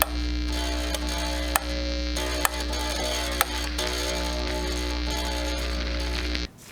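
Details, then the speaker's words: Fender Squier Stratocaster with no output, plugged into V-Amp turned down: constant low buzz of steady pitch with a few clicks and no guitar signal; suspected amp grounding hum, guitar wiring fault still unresolved. "I went ahead and turned down the vamp all the way so we're out here and that buzz the whole time basically it's not working still"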